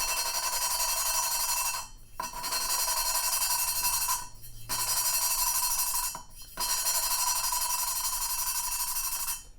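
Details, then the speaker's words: Hand lapping a valve with fresh grinding compound after lifting and turning to redistribute the abrasive: gritty, crunchy rasping strokes of about two seconds with short pauses as the compound cuts the seat. "So all you got to do is lift and turn, and go like that a little bit and it'll redistribute. So you hear that? See how it's all crunchy again?"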